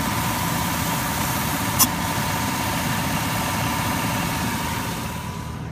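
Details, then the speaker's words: Truck AC being recharged with an Arctic Freeze can to about 50–55 PSI: engine idles evenly with a steady hum, and the compressor now runs steadily instead of kicking on and off every few seconds; AC working normally. "But I can definitely hear that the AC compressor is working better now and not kicking on and off every few seconds."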